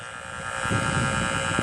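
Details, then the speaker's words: Induction amplifier probe held near the power line going out to the utility picks up a steady, raspy 60 Hz mains hum that swells louder as the probe nears the live line. "okay you hear that that's your 60 cycle hum okay okay you can actually this is the wire going out to the power company"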